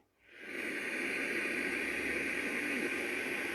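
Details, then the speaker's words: Charity-shop radio tuned manually to 95.3 FM in a poor-reception area: steady loud hiss with only a faint trace of the station; weak receiver, but it works. "oh very faintly so it's not a good receiver but it does work"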